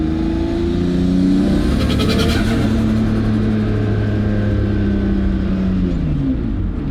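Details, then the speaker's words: RB20-swapped Ford AU Falcon on the dyno: revs hard with fluttering chatter over the intake rush as it comes on boost; turbo surge, turbo thought to make more boost than the motor can take in, bigger cams suggested; cause not confirmed. "the compressor surgery is the turbo is making too much boost for the motor to take in you too much response so the motor's not eating the air"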